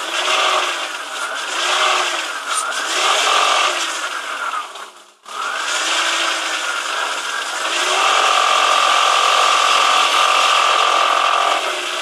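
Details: BMW E46 323, cold engine held at 1600–2100 rpm: dry metallic rattle about four times a second, present since purchase a year ago, disappears at operating temperature; owner says it comes from under the engine toward the gearbox, cause unknown.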